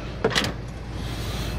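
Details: VW Passat CC rear camera flap actuator in a final test after repair of fuse S51 and a broken harness: a short, clean electric motor whir over a steady outdoor hum, with the camera flap motor working. Normal operation.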